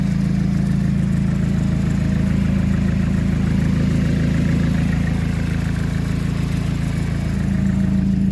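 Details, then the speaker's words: RX-7 freshly running with a new SR20VET swap, BBL rods fitted on the exhaust-side rockers in place of originals (solid, not hydraulic); fast even tick about three per second over steady idle, expected louder, noise traced toward the intake side. "I added the BBL rods to the exhaust side so those aren't the original rocker arms anymore so I'm expecting it to be a little louder"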